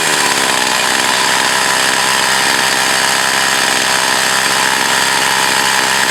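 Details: Echo CS 4500 chainsaw, unknown history, stored for years, carb rebuilt, high-speed needle adjusted: a high, buzzy two-stroke note held steady at full revs through the cut without bogging or surging; the saw runs properly.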